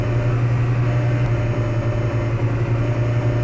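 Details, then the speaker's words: 2003 Jetta on stands with wheels removed, held at 3800 rpm in gear: constant low droning hum, no knocks; vibration reduced but still present, goes away with clutch in; driveline vibration, cause still unclear. "it is still there okay it's it's just a less without the wheels in place but there is still a little vibration there"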